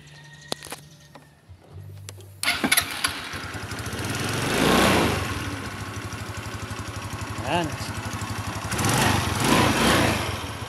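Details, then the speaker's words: Rusi Passion scooter previously not starting, after checking ignition switch and accessory wiring connections: a few false catches, then the small engine fires and settles into a steady even putter with no misses; starts normally. "Oh so yan mag-start na Toto try natin"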